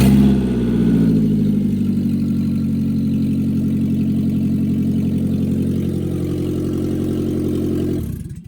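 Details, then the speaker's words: 2001 Ford at idle, which also won't shift into gear: deep, loud rumble with an uneven pulse until shutoff; exhaust leak, catalytic converter possibly cut out or just a hole. "You can see it or hear that it had an exhaust issue as well. You come out, take a look, see if the catalytic converter's been cut out. Sounds like it probably has, but you come out, look at it."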